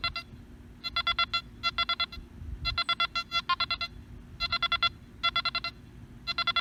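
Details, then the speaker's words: Nokta Makro Anfibio metal detector recovery-speed test, slow then faster sweeps over close coins: clear separate bursts of high beeps per target, staying distinct at speed; fast recovery. "we're going to show you the recovery speed on this machine so we're just gonna go over it really slow just like you will start from there and we'll speed it up"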